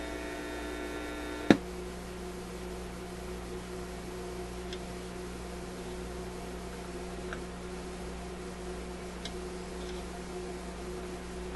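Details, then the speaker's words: Koronette console stereo tube amplifier with no output from radio or auxiliary inputs; after a click a steady low mains hum with no program sound, hum fed from a tube plate (about 200 V) into the next tube's grid. "So in effect, I'm feeding this hum from the plate of this tube into the grid of the next tube, and that's why we can hear it."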